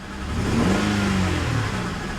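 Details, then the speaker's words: Salvage-auction Corvette convertible, revved then put in gear: revs sag and wobble unevenly under rough stumbling note, trying to stall; rough misfire, owner suspects a tune-up may fix it. "that misfire is pretty rough though put it in gear goes backwards it goes forwards she's trying to die huh"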